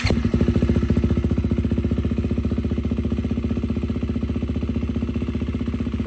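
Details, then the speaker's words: 2023 Husqvarna FC350 four-stroke idling with a sharp, puffing exhaust beat. Soapy water bubbles at the header-to-midpipe slip joint show an exhaust leak, causing backfire pops on deceleration. A loose retaining spring was also found. "So, you can see that spitting out some bubbles there. That means we definitely have an exhaust leak."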